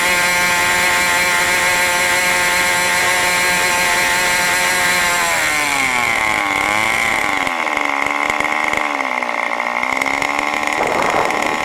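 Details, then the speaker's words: New OS 40 FSR model engine, second tank of break-in: shrill high-revving scream holds steady, then pitch dips and wavers as it throttles back; revved higher than wanted, high-speed needle not yet set. "obviously you can see I let it get a little bit higher rpm this time actually a little bit higher than I wanted I was really wanting to run it in the mid-1990s"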